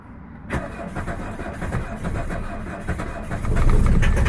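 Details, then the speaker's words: 1977 Mercedes 240D diesel cold start on third glow cycle, accelerator floored, idle adjuster fully up: low chugging crank, then catches into rough clattery idle; sluggish start, glow plugs and injectors still due for replacement. "Okay, getting ready to do a cold start on the Mercedes 240D 1977 third glow cycle. Foot will be all the way down the accelerator, and let's go."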